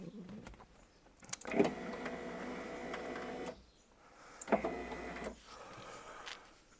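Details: 1999 Porsche Boxster 986, driver's-side window after replacing the crunchy regulator (original motor reused): two smooth, even motor runs of one to two seconds as the glass lowers, light clicks at start and stop; window operates normally.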